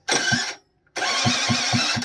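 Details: Honda AF18e engine swapped into an AF09 scooter, started without choke: two short cranking bursts catch at about four beats a second and die once the starter is released. Owner suspects he disturbed something in the starter; plug check ruled out flooding.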